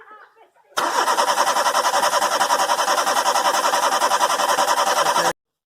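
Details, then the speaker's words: Renault Scenic, intermittent crank no start with no fault codes, fuel pressure and prime OK; even starter churn about 3.5 beats per second, never catches; shorted coil winding in fuel pump relay; crank no start, faulty fuel pump relay. "The car still wouldn't start. So the relay was getting the command to prime the fuel pump."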